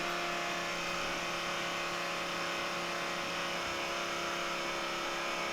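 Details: S10 with a built aluminum 5.3 and Forced Performance S491 turbo: steady electric hum with a few fixed tones continuing after the switch is turned off, apparently the electric fuel pump still running; suspected, not confirmed.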